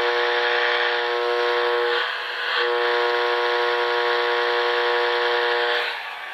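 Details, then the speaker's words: Old-fashioned fluorescent light radiating RFI into nearby radio: steady raspy buzz with evenly stacked tones, briefly dipping as the receiver moves. "it adds to the overall RFI noise noise field in your house oldfashioned foressence yeah they got some"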